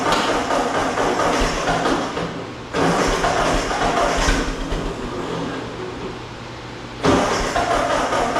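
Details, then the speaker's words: 1951 Ford 8N tractor, started in neutral after carburetor work: a lumpy, stumbling, surging idle, not running on all cylinders; a couple of plug wires looked misplaced. "all right we're not running on all cylinders there were a couple spark plug wires that looked like they weren't in the right spot"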